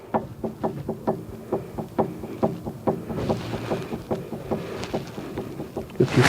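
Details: 2007 Kia Rondo: quick hollow clunks about twice a second as the front stabilizer bar link is rocked by hand, the worn link causing the front clunk while driving; the link was then replaced.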